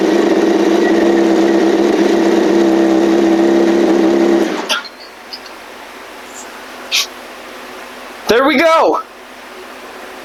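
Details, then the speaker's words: 2007 Yamaha R1 inline-four after an engine rebuild: a fast steady idle with constant pitch and no ticking for four seconds, then shut off. It sounds great, and the slight rough idle is blamed on fuel trims and ECM recalibration. "That sounded great. Let's go. Yes. Okay. Well, no ticking, no crazy noise."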